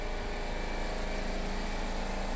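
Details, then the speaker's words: Mazda RX-7 FC after its rusty fuel tank was cleaned and reconditioned, with fuel smell and battery charge in doubt: even, steady cranking that never catches. Crank no start; fuel lines were suspected reversed and then swapped. "okay so we thought maybe the fuel lines were reversed so we reversed them"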